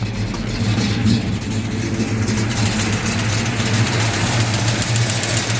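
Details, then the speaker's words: Warm 1968 Pontiac GTO 6.5 L V8, 4-speed, reportedly rebuilt years ago, headers and Flowmaster exhaust, long sitting: light fast ticking over loud idle; owner suspects a loose rocker arm, lifter or weak valve spring needing adjustment. "So you can kind of hear that ticking noise. I think it's like a lifter or a valve spring that's maybe needs a little adjustment."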